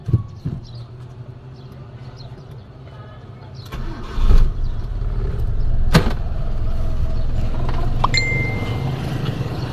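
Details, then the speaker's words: Mitsubishi Lancer 4G13, cold start just after an oil change, oil not yet fully circulated: a few clicks, then catches and settles into a low, steady, even idle; normal cold idle. "Ayan guys, na-start ko na. Medyo malamig pa. Hindi natin pumanik yung langis. Malamig pa yan. Naka-cold start pa yan, ano?"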